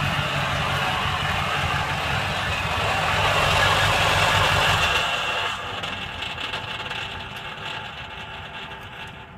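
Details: 2005 Ford F350 engine running with a steady clatter, then a loose rattle as the engine is switched off. The rattling noise happens at shutdown; cause not identified.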